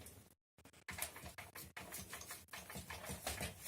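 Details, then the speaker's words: Kugoo S3 electric scooter rear suspension after disassembly and lubrication to cure a squeak: bouncing the rear gives only loose, irregular tapping from the wobbling fender, and the suspension squeak is gone. "нету это только тот как крыло шатается вот на скрип пропал"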